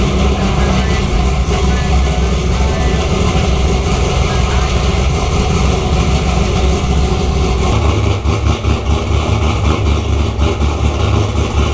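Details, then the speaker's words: LS3-swapped C6 Corvette, first start in garage, about 8 miles on the swap, no check engine light, still needs a tune: loud, deep, even V8 idle with no ticks or misses; the motor sounds healthy. "Sounds pretty good. The motor sounds healthy."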